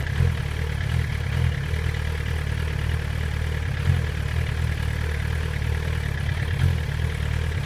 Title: 2008 GSX-R 1000. Rough idle